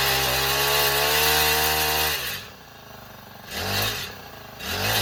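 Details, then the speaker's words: Honda FG110 mini tiller small engine, apparently a brand-new unit with unworn blades, primed and started right up. Buzzes high and steady, then drops back and picks up in short blips; runs clean and responsive, normal running. "Oh, wow. Starts right up. It's a real whipping."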